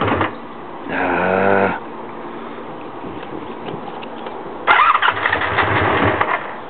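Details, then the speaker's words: 1984 Honda Magna V65 with the choke pulled down, seemingly lacking fuel: two bursts of cranking with brief coughs that catch and fade. Hard start and stalls after firing, cause undiagnosed. "Yeah, it sounds like she wants to go, but she's not staying. Oh, she's not staying with us."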